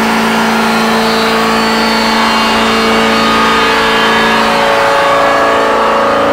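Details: Volvo Penta boat engine going into limp mode: a steady, flat high-revving drone that never climbs, as if rpm is capped; someone remarks that something seems to be hitting something.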